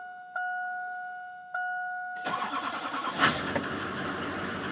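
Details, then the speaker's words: 2001 HD2500 Duramax turbo diesel, 181,000 miles, cold start on a chilly day after about 4 days unused: two chimes, short crank, catches at once into steady clatter with good oil pressure; healthy cold start. "you go look like a charm great oil pressure this is one good running truck has 181,000 Mi on it"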